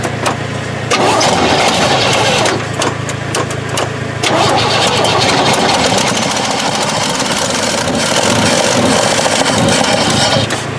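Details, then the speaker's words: 1968 Chevy truck not run in 15 years, after sanding the points with emery cloth and pouring gasoline in the carburetor: cranks, coughs and catches into a ragged, sputtering idle; massive exhaust leak, fuel system still priming. "oh she's running try it again okay let me put some more gas in there he just loves the gasoline"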